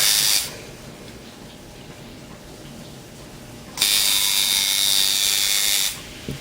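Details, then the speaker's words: Tattoo machine shader tuned by the nickel-and-dime method (nickel gap for the shader, dime for the liner), power pack turned up to about 13: crisp, high, even buzz with a clean start and stop, called running right. "Generally, I call mine darling when it's running right. And you [ __ ] hoer when it ain't. That's darling there."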